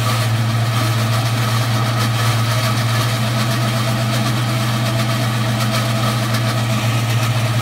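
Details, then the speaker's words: 2004 Ford Mustang GT idling: a loud steady drone and hum from the clutch that began faintly days earlier. Owner and mechanic suspect the throwout or pilot bearing, unconfirmed. "so as you guys could tell the noise is just horrendous I literally cannot explain in any other words um it is just probably the worst sound I've ever heard in my life"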